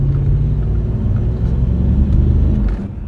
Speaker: slight touch it responds just immediately and you can hear the petrol burning it's just something amazing you know